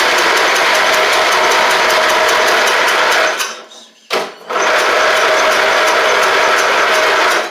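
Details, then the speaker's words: Troy-Bilt Pony after swapping its Powermore engine for a Briggs & Stratton flathead with a new Briggs carburetor: the single-cylinder engine ticks along at a steady fast beat, drops out briefly, restarts and runs smoothly again. Normal running. "not bad for what it is not bad at all"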